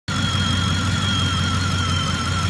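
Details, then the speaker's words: 2010 Ford F-150 5.4 V8 at idle: constant high-pitched squeal over the low rumble from the front of the engine; owner suspects alternator bearing noise but isn't convinced the alternator is bad. "welcome back we're on the 2010 F-150 with a 54 we've got that alternator squealing sound"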